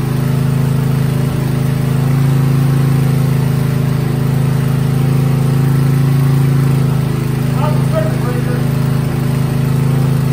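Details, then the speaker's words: Coleman generator with a Briggs & Stratton engine, started on choke after sitting about a year; even, steady low drone at constant speed with no misses or surging. It runs strong and smooth, but generator output still needs checking. "it does run runs real good strong smooth"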